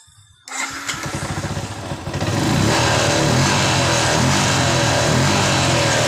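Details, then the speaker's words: Yamaha Jupiter MX New, previously hard to start and stumbling, after cleaning the never-serviced carburetor, spark plug unchanged: catches after a few cranks, then runs steady and even, no misfire; normal. "jadi motor ini kita sering saya bersihkan karburatornya dan Dragon basonya motor normal kembali"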